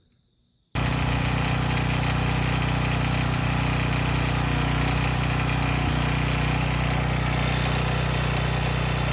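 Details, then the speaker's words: Briggs & Stratton single-cylinder Storm Responder generator engine: loud constant drone with hard rattly knocking in step with engine speed, deep from low in the engine; owner thinks the engine is probably junk, cause unconfirmed; engine knock. "engine and i hope it comes through but this thing's making a lot of noise and i'm kind of in denial but i think it's"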